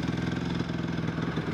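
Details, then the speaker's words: Honda CRF250 motorbike just out of storage, warm idle: quick even thump about twenty beats a second, no misses or rattles; idles pretty well, normal idle. "yeah so it idles pretty well goes alright"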